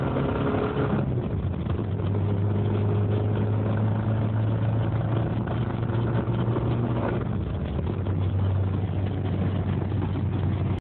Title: 1.8 Isuzu rod knock